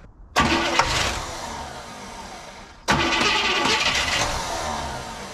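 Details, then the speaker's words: 1967 Cadillac DeVille convertible V8, left sitting for years, cranked with a shot of ether: two cranking attempts of a couple of seconds each with a lumpy, irregular beat; noisy lifters, and cylinder seven is not firing. "decent crank sounds a little uneven there yeah little noisy s it's like pretty good though"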